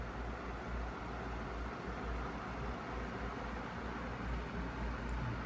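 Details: Feature Comforts FT30-3D table fan, needing a clean, on speed 1 with oscillation on: steady, even rushing airflow with no knocks, rattles or ticking as the head sweeps; runs and oscillates normally.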